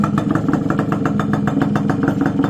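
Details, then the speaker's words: Day ten of restoration, motorcycle tagged Suzuki X4/XL: cold engine idling after carburetor fitted, clutch working, second-hand pipe installed without silencer yet; crisp, regular single-cylinder pops about six per second, fairly quiet, no misses or clatter. Normal idle. "Yan, wala pang silencer mga kamikaniko. Pero okay na. Yan. Medyo tahimik yung makina niya, hindi naman gaya ng sobrang ingay."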